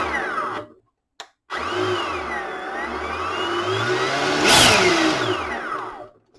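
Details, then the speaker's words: EGO 56V blower with replaced BLDC speed controller, after a full battery used and recharged: clean motor whine climbs and falls smoothly with the trigger over steady air rush, starting and stopping cleanly; blower running healthy. "So back now after using a full battery and recharged it back up in this blower with the replaced speed controls. We can see it in there, and so far all the tests have been good."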